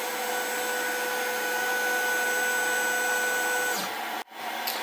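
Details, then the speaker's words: Snapmaker 2.0 CNC test cut: steady high spindle whine drops and wavers as a small side piece of the workpiece comes loose and wraps around the bit, then a brief dropout and sharp smack as the offcut flies off. "okay so um that was quite interesting we had the small piece right here that was on the side actually come out and it was stuck around the tool that's what that noise was when it was going"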